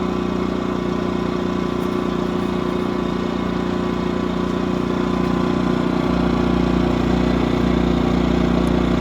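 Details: New Yamaha-powered A-iPower 1800 W running / 2300 W starting inverter generator, break-in run, no load: steady even buzz at constant speed, no hunting, misfire or knock; runs smoothly.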